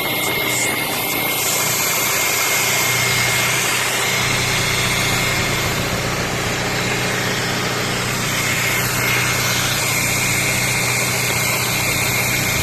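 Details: Audi A3 8P facelift 1.6 BSE engine idle test: even, steady, smooth uniform beat with no stumbles, skips or misfires; firm, healthy idle.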